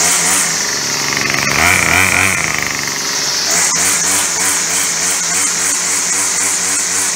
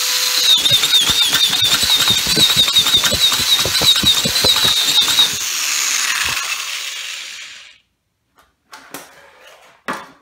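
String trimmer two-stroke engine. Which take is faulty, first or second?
second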